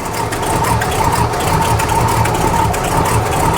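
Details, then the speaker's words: Squarebody truck's 454 big-block V8, cold, just restarted after belt upgrade for a big aftermarket alternator running electric fans; deep, smooth even idle, oil pressure up at once, belts running true with no squeal, normal idle. "i love that sound it sounds so sweet sounds like it's got a big can but it doesn't it's just cold"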